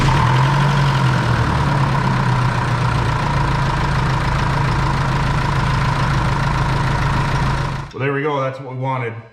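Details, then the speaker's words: Jeep Liberty CRD diesel, first start after fuel return line bridge replacement for stalling and fuel leak: fires right up and settles into a steady even idle with smooth clatter; normal idle, check engine light for fuel rail pressure sensor circuit high. "turned over sounded good fire right up"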